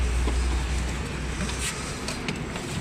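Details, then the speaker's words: Maruti Eeco BS6 with company-fitted CNG, after wiring repair and DTCs cleared: low, even engine rumble settling into a steady idle with no misfire or stumble; starts with no check-engine light, running normally. "य पर मेरी यह गाड़ी वो start हो चुकी है तो इसका जो प्रॉब्लम निकल के आप देख सकते गाड़ी स्टार्ट है नो चेक लाइट है"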